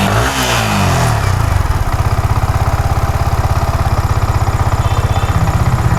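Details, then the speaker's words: Yamaha R15 V4 after repair of a misfire; spark now strong. It catches at once with a short blip and settles to a steady, even thump, starting and idling cleanly. MIL lamp is still lit though the scanner shows nothing. "സാറെ കുഴപ്പമൊന്നും കാണിക്കുന്നില്ല. ഓക്കെയാണ് ഇപ്പോ ചെറിയ ഒരു കാര്യമാണ്."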